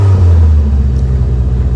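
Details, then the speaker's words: Toyota AE86 Corolla with a BEAMS 3SGE engine and quad ITB throttle bodies, just cranked up. A steady, even engine note holds around 2,000 rpm with no dip to a lower idle; the idle is stuck high. "It's got a bit of a weird idle thing at the moment, where it wants to idle around 2,000 RPM."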